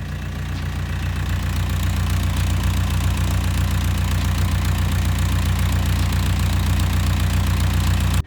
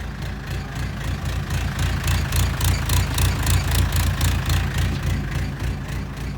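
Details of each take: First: Mustang skid steer diesel warmed up after a minute or two: deep even thrum about four beats a second, no surging or misses, smooth idle; owner suspects fuel system behind cold-start surging. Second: Mustang skid steer diesel, cold start: chugging idle about three and a half beats a second, loudness swelling and dropping as it surges; runs fine after a minute or two, owner suspects fuel system, plans to pull and clean injectors.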